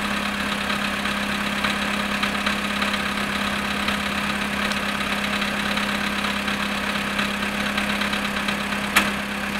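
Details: VW Polo sedan, cold start at -7.5°C after sitting 14 hours: a faint, fairly quick ticking knock rides over the steady idle; the cause is unclear.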